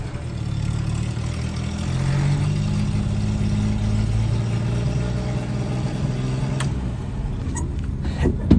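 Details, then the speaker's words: 1988 Daihatsu Hijet mini truck, refuelled after running out, carburetor retuned: even steady low engine rumble under held throttle, no knocks or misses; running well. "I've been tuning the carburetor a little bit better and it sounds like it's running pretty good"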